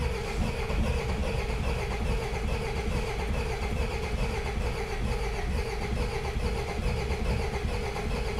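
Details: Rusty Peugeot 404 diesel pickup, sat non-running for years: uneven labouring starter churn without catching, after glow plugs; cranks but won't fire. Cause suspected (fuel/injectors), not confirmed.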